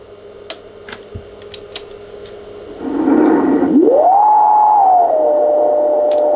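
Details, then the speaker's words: Icom IC-751A 100 W shortwave transceiver, probably late 80s/early 90s: receive hiss and crackle with a whistle sliding up to a steady tone; 10 MHz and above fine, 7 MHz and below bad on LSB and USB, VCO problem from faulty trimmer capacitors. "okay upper side Bend also sounds ugly what does that means the receiving the higher pens 10 megahertz and higher is okay seven megahertz and lower is bad seems to be a vco problem"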